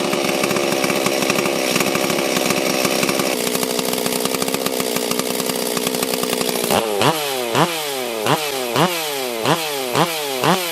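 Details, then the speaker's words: Rebuilt blown-up Stihl 044/440 chainsaw, next morning after about five heat cycles: strong, even two-stroke howl at high revs, then crisp throttle blips about once a second rising and falling cleanly; healthy running saw. "Oh, she's a runner."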